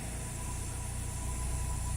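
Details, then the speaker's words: Cold start on a 2000 Toyota Celica GTS 2ZZ engine: uneven, slightly stumbling low idle beat; owner suspects a vacuum leak, also hesitates, stalls on cold deceleration and idles high warm; cause unconfirmed. "at Cold startup the engine looks like it's a bit stumbly and"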